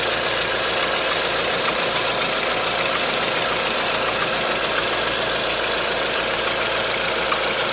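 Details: 1.4 16V engine (Tunisia) at steady idle with light, uneven tapping about three or four a second; timing chain and tensioner checked and belt removed but the noise persists, so the knock's source is not pinned down.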